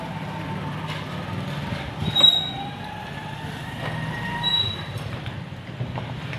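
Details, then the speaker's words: Noisy ceiling fan running on wires: uneven metallic rattle and squeal over the hum, from a worn bearing seat letting the bearing sit loose; louder when run direct rather than in series. "ठीक है guys आप देख रहे हैं कि बहुत ज्यादा यह शोर कर रहा है मैं आपको करीब इसलिए दिखा रहा हूं ताकि आपको अच्छी तरह आवाज आ सके"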